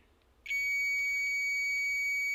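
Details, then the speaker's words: Magnetic contactor tested with digital multimeter, plunger pressed down: quiet, then steady high continuity beep holds, meaning the contact closes and conducts properly. "यहां पर देख लें आपको दीप सुनाई दे रही है तो इसका मतलब है ये कॉन्टैक्ट ठीक है"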